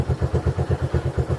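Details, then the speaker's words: 2015 Honda CB1 125cc motorcycle (owner unsure if 125 or 150), electric start, idling after a long journey with the gears working: a steady, even thumping idle at about eight beats a second with no rattle; normal idle. "it was definitely a long journey to get it but she's idling what do you expect like wow okay very impressive"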